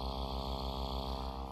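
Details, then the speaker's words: Reloop Mixon 4 DJ controller on its stock power supply; constant low gritty buzz that never changes and gets worse as the LEDs load it. Ground-loop hum fixed by replacing the power supply. "it's picking up all the all the noise from all the LEDs and everything on this thing so as soon as I boot up DJ on this thing it's gonna go nuts"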